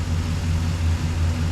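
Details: Chevy Express van after a hard exhaust manifold replacement with broken bolts: deep, even, smooth idle with no ticks or exhaust puffing, smoking as oil burns off after the repair; earlier no-start was traced to the keys.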